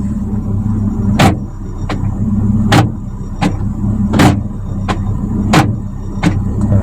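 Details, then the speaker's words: Hyundai Atoz GLS 2001 central locking: sharp lock clunks repeating about every 0.7 seconds, unevenly spaced, one actuator lagging, especially front left; slow central lock actuator, a commonly faulty part on this car. "nah bunyi deket terakhir enggak kompak bunyinya jadi ayah ada yang kancut kancut lihat ada yang ketinggalan terutama di sebelah kiri depan ini ya"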